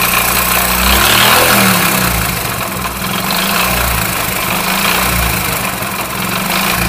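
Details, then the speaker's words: Idling motorcycle engine: steady deep thud-thud knock from a completely worn connecting rod under a metallic jingling from the timing chain; clutch box vibration and transmission hum also noted. "जो ठक ठक की आवाज आ रही है कड़कड़ की वो rod आवाज कर रहा है रड बिल्कुल ही फारिक हो चुका है जो छनछन की आवाज है वो टेमेक चैन की है"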